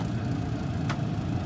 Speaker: the engine sounds real sweet. We'll show you the engine in a second. I'll do a little pull down here so you can hear it because it sounds really nice.